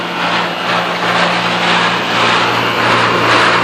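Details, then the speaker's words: Pentair UltraTemp pool heat pump running: loud steady low hum under rushing fan with rough drone from low in the unit, intermittent; water flowing, no fault lights, cause undetermined. "Here's the fan. Making a ton of noise."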